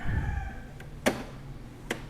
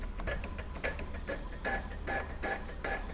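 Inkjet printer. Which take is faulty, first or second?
first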